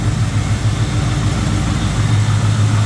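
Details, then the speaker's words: 1981 Chevrolet C10, 350 small block Chevy with Dart Iron Eagle heads, aluminum intake, headers, newer aluminum radiator, engine bay view: steady, even low rumble with no knocks, misses or ticks; normal idle. "good, looks good underneath there."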